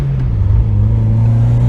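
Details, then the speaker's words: Mazda Miata on a drive after new NGK spark plugs and wires: a deep, even engine drone pulling steadily under throttle with no stumble; the earlier hesitation under throttle is gone. "It's gone! It runs perfect! Wow, something that basic. I can't believe it."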